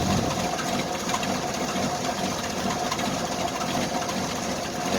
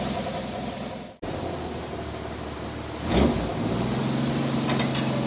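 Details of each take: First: Old carbureted Jeep Wrangler YJ cold start in cold weather after months sitting, owner suspects an exhaust leak; uneven, lumpy, stumbling idle while still warming up; rough cold idle. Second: Carbureted Jeep Wrangler YJ pulled out of months of storage, jump-pack assisted after slow cranking: after a couple of blips it settles into a steady, even idle with no misses or knocks. It is purring smoothly, though the owner notes a small vacuum leak.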